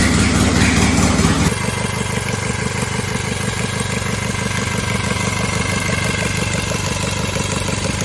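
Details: Cub Cadet 482 tractor, swapped 12.5 hp Briggs opposed twin with rebuilt carb, no mufflers: loud open-exhaust bark at a steady fast beat with no knocks or misses, sounding like an old 4-cylinder Farmall; runs fine.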